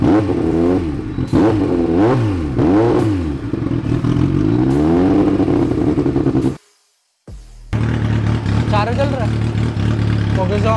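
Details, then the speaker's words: Kawasaki Z900 after rebuild, first run: engine speed keeps swinging up and down in waves instead of holding, then drops out and restarts; cylinders fine but rpm still fluctuating, hunting idle. "औसत तो ठीक है, लेकिन RPM में अभी भी उतार-चढ़ाव हो रहा है।"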